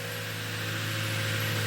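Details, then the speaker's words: 2007 Toyota Tundra 5.7L V8, 197,330 miles, after clearing limp-mode code P2447: even fast idle, steady hum, no misses or surging, pumps heard on startup; high idle while computer relearns airflow. "so we can finally start and up 197 330 miles on the autometer it should be super high idle as I said"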